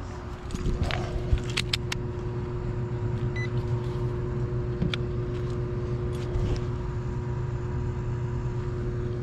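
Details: HVAC blower motor, replaced about three weeks earlier, running again after its failed counterfeit capacitor (rated 5 µF, reading nanofarads) was swapped for an American-made 5.25 µF capacitor: steady low hum with constant tone, no surging, grinding or stalling.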